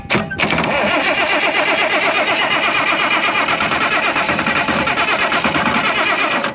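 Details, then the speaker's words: IH 915 combine, unmoved for about a dozen years, starter solenoid hotwired: long steady starter grind with a rapid even chug that never catches; cranks but won't start, the hotwire lead came off, fuel supply also suspected. "there goes my wire it was cranking it was getting ready to Puff on we got to get that attached better and I bet it lights off"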